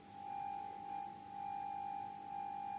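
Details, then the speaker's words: Vintage Radione WSH3 tube radio after fixing an incorrectly connected capacitor that caused whistling across the band: a steady, pure 800 Hz test tone from the signal generator swells and dips slightly over low hiss; the receiver works properly. "I can easily tune to the frequency and hear like 800 Hz signal."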